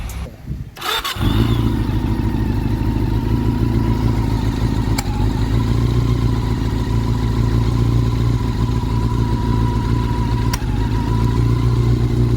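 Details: Honda CB400 that was stored long with rusted liners and valves, previously ticking from the head, now after re-measuring and readjusting valve clearance: a steady, even idle with a smooth low rumble and no head ticking.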